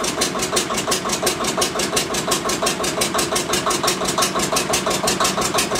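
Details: Witte diesel generator, unstarted for 45 years, running again: slow even thumping about three beats a second with clattery top end; a whiff of slightly burnt fuel and smoke noted; first run after long storage.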